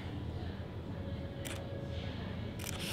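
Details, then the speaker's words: Contax T2 compact film camera: faint steady flash charging whine, then red-eye reduction pre-flash and main flash fire as two sharp bursts. Normal flash charge and fire. "Close. and then flash. And let's do the red eye reduction first."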